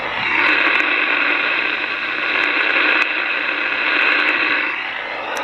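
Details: Uniden MB8719 CB radio on AM with only the antenna connected, during receive sensitivity tune-up after adjusting the AM filter: strong, even static hiss with no dropouts or crackle, normal well-tuned receiver.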